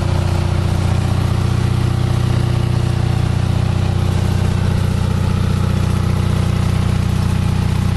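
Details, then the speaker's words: Onan 5.0 CCK-4R 5kW three-phase dual-fuel genset, leg 1 carrying just under a third of full load at about 115–117V: even, steady drone with a regular firing beat, no knocks. Quiet and strong, healthy under light load. "That's got about a third, maybe just shy of a third of its load, full load. But that'll give you a good idea of how quiet this unit is, how reliable and strong it is."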